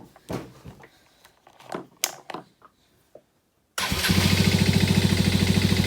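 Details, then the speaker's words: Can-Am Rally 200 after spark plug cleaned with wire brush and utility knife, started still cold: clicks and handling noise, then catches at once into a quick even putter with no misses; normal start and idle. "Still a little cold. I fired it up just now after I cleaned out the spark plug just now, so gotta let it warm up."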